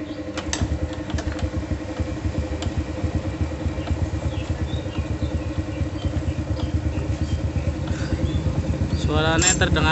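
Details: Honda Supra single-cylinder after servicing the cam chain tensioner and camshaft, carburettor cleaned: even putter at idle with a quick throttle blip near the end, smooth, no steady top-end ticking; normal idle.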